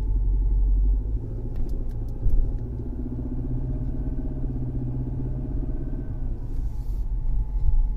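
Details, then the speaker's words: Mercedes C250 W204 four-cylinder at idle: a low, heavy drone pulses with every engine revolution. It resembles a high-pressure fuel pump or engine leaning on the firewall, but nothing is touching, so the cause is worn engine mounts. "I do not see anything on this four-cylinder motor that's leaning on the firewall I don't have any AC hoses leaning on the firewall but I can hear every revolution of the motor"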